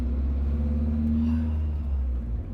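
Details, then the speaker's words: 1992 Toyota Pickup 22RE 2WD manual after installing headers, driving: deep even four-cylinder exhaust rumble, no drone or rattle; normal exhaust note. "so even after the first fire up we can tell it sounds better uh hopefully the drone's gone that sounds that sounds so much better"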